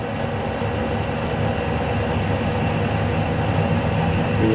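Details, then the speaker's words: Lathe single-point turning a 2.5 mm deep groove in an internal thread for a welding positioner locknut, using the compound, spindle speed decreased a lot: steady even cutting hiss, no chatter or squeal; sounds better, normal clean cut. "yeah this sounds better"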